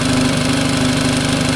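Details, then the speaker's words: Mercury 9.9 four-stroke outboard, sat two years, Seafoam added to fuel to clean carburetor, idle screw turned in: steady even idle, constant hum, smooth firing pulses, no hunting or stumbling. "I turned it in. And you can hear it. It's idling. That's about how I want it right there."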